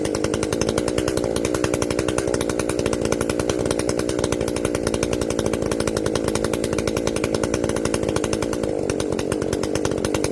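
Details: Echo CS-590 chainsaw after carb limiter removal and opened-up exhaust, high jet turned up a full turn plus low jet richened: steady high-revving buzz at even speed, no surging or bogging; properly tuned, not running hot.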